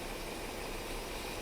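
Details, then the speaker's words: 1998 BMW 740i (E38) after a new fuel pump and oxygen sensors, following a long hard-to-diagnose running problem: smooth, even idle with a steady low hum and no ticks, knocks or stumbles; the engine now runs cleanly. "She sounds perfect. Or perfect, as Eartha Kitt used to say. Listen to that. Wow. She's come a long way."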